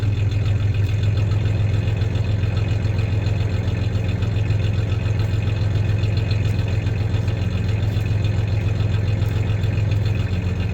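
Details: 1993 Ford Ranger 3.0 V6 idling with a little rev: deep steady idle with a slight uneven stumble every so often; slight misfire; clanking is bed tie-downs, not the misfire.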